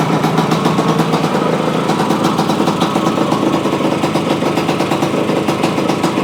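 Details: Yamaha AT-1 to CT-1 conversion small two-stroke after wiring, oil pump priming and carburetor fix, choke on, premix plus oil pump: crisp rapid ring-ding popping, steady and even with no misses; normal idle.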